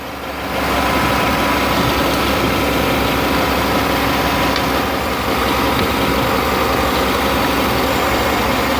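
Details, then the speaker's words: 2008 Chevy Avalanche V8 with an idle-only misfire and P0300 code, after swapping the cylinder 1 and 3 plugs. Steady idle with an uneven stumble. The miss followed the plug with the cracked porcelain; cylinder 1 now looks good. "Now I'm on the number 1. I can feel the miss. Looks pretty good, doesn't it? So now you know what a cracked porcelain looks like on a spark plug."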